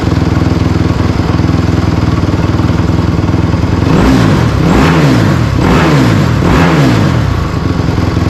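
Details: Honda CRF250R engine in a go-kart after water pump rebuild (new shaft, seals, bearing) for a coolant leak, test run: strong steady single-cylinder beat with quick throttle blips, pulling cleanly and evenly; normal running.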